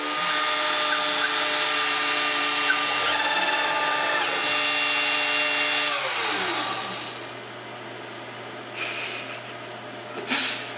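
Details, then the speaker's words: Millright CNC Power Route router, first cut: steady high spindle whine under a harsh buzzing cutting roar that falls away as the cut ends; chatter at the top from cutting too deep. "shattered up here at the top a lot you hear that that was pretty helpful it's bad on my tool but I just wanted I to keep going because why not"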